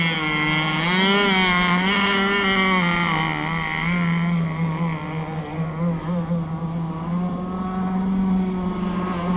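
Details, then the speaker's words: Zenoah 30cc RC boat engine at throttle, with water coming out of the cooling outlet: a steady low drone that barely changes pitch and never climbs, labouring without picking up revs. The mixture is too rich and will be leaned out. "So when I give the trigger gas, you can hear it kind of wanting to go."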